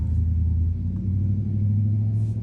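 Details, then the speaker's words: New wheel bearing in a 2006 Nissan Altima front steering knuckle, spun by hand for comparison with the old grinding, wobbling one: low steady hum, spins freely and smoothly with no grinding or clicks. "that thing still spinning [Music] that's what your bearings are supposed to do be like"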